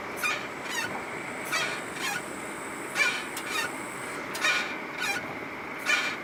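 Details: Brake squeal on a Mitsubishi Lancer X, mostly when hot after a drive, not when cold; sharp squeaky honks repeat about every 1.5 s as the wheel turns. Braking is normal and the car doesn't pull to one side.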